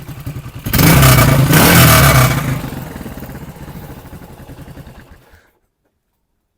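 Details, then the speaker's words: Yamaha XT500 at stationary idle with a stainless replica exhaust header: it blips hard, then settles into a loose tinny rattle on every firing pulse. The exhaust rattles. "it sounds like a tin of sardin it's got a Rattle"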